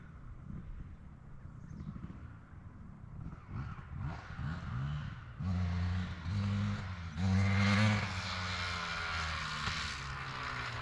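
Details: 2003 Honda CR250R two-stroke dirt bike after idle adjustment: rough, uneven blips, sounds loaded, never clears to high revs; top-end bog, owner suspects carb needs going through and re-jetting.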